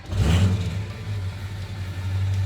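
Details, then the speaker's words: Cold start of the diesel pickup truck right after replacing the fuel injectors, installing an Atlas FICM upgrade, an oil change, new filters and a coolant top-off. It catches and settles into a steady, even low rumble with no stumble. Before this it idled rough with heavy white smoke. "oh boy oh yeah uh let's go for a ride oh you know i didn't even think about that's technically a cold start the truck hasn't run all"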